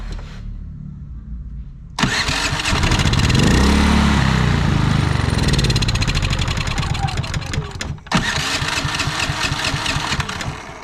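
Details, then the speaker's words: Predator generator with many hours surged after running out of gas. Even after carburetor jet cleaning, speed swells and sags unevenly, nearly dying; cause was a misadjusted idle stop screw. "all right so you see she still ain't running right"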